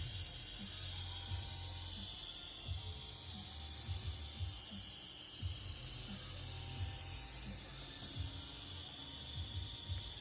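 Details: Nissan 300ZX twin turbo: steady high-pitched hiss over a low, uneven idle from the engine bay; cause unknown.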